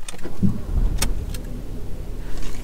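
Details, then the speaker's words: Ford Focus, badged 1.6 but actually a 1.0-litre three-cylinder EcoBoost, about 12–13 years old: quick crank, then it catches and revs with a deep, slightly lumpy three-cylinder thrum; normal start and rev despite the owner calling it horrible. "horrible noise of a three-cylinder engine starting up and revving up."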